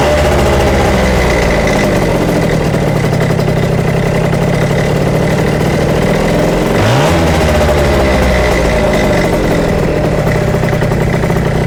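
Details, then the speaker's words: Yamaha Jog CE50 70cc two-stroke on 104 main and 40 pilot jets, no vacuum leaks found: idle hunts and wavers with uneven pulses and a brief dip and recovery. It almost dies when ridden. "But if we go and try and ride it, almost dies straight away. And there you go. Very odd."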